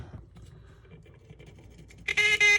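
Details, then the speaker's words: Lionel O-27 Alco PA locomotive horn on battery: after quiet hum, short buzzy rough toot with uneven stops; connections work but horn relay points are dirty, giving a weak, harsh sound. "Yep, the connections are working, the points are just dirty. That is a horrible sound. God. Ain't that pathetic?"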